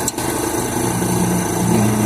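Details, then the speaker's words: Chevrolet Zafira at idle after A/C compressor coil repair, pulley bearing fine: faint wavering squeak from the belt tensioner, which fades when the tensioner is assisted with a wrench; tensioner not tensioning the belt properly. "Ó, sumiu o barulho, só de leve. Tirei a chave, fazendo barulho. Ó, parou. Ó. Então ele não está tendo a função dele de tensionar a correia corretamente."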